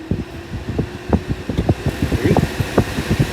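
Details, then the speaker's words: 1964 Ford Country Squire after replacing the underdash HVAC fan switch and a rusted connector: soft fan rush with scattered irregular rattles as debris blows out; blower motor works, and the compressor engages. "Woo! Blowing crap all over. It works."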